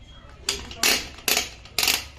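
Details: TVS Star City 110cc engine overhaul, setting kick-start timing during reassembly before kick spring fitted: four sharp metallic clacks about half a second apart as the shaft is worked, kick mechanism not turned clockwise to its stop.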